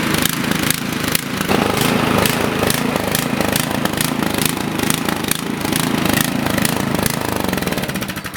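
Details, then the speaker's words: Toro snowblower engine runs rough and choppy, its speed rising and sagging unevenly. This is surging because the carburetor runs too lean, common on brand-new machines. "So, you see how rough this uh Toro snowblower is running here. This is a simple fix, guys. A lot of machines you buy brand new will do this. The reason for that is because these carburetors run way too lean."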